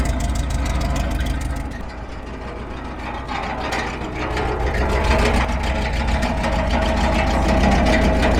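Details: 1968 Ford F-100 after 20+ years in junkyard, first revival start: old V8 idling with steady chirping, scraping rattle likely from belt-driven accessories, possibly water pump pulley.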